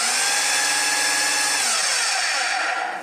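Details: Dirt Devil vacuum (UK variant) bought at a car boot sale runs with a high, harsh motor whine and rough rattle that drops away on spin-down. Noise is mostly from the brush roll; it sounded better without the brush.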